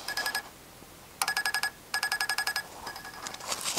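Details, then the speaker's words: Electric fuel pump on a GY6 scooter engine, replacing the vacuum pump, driven by an adjustable pulser unit set at the recommended rate, microphone by the pump: quick evenly spaced ticks, about fifteen a second with short pauses; normal pumping. "there's an audible noise so you know that the fuel pump's working and you can hear the speed"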